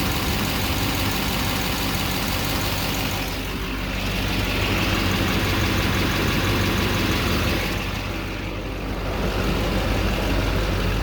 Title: 2009 3500HD Duramax. Whining noise? Any ideas ?